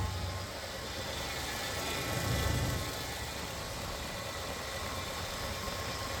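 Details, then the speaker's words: Freshly reinstalled drag-car engine: it starts and holds a quiet, steady, low idle on its own with no stumbling or hunting. It idles normally. "That's interesting. There she starts and runs on her own."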